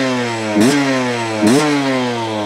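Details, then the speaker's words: 2023 Beta 250 RR two-stroke with a changed needle and the air screw about 1.5 turns out: a low, near-stalling idle and two quick, sharp blips that rise and drop cleanly with no bogging; crisp, well jetted. "sounds good betas are crispy sounding that's about it that's what we're looking for"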